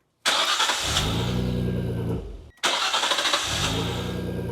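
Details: JDM import car just fitted with a MegaLife lithium battery: two short cranks, each catching instantly and settling into steady idle, no slow turning; normal, immediate engine start.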